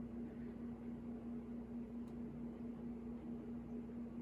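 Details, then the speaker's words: Vintage Galaxy 9-inch desk fan, repainted and missing its oscillator arm, runs at steady speed: motor hum with a fine buzzing loose rattle somewhere in the fan. "i'd like to use it but i i can't handle the rattle sound"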